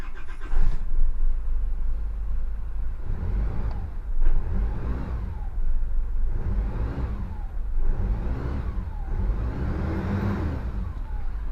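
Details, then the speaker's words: Engine after tightening a likely stretched, fairly new alternator belt that screeched on cold start and acceleration; starts and revs up and down smoothly, no screech, belts running quiet; fixed. "turbo boost gauge is working no screeches working well okay job's done"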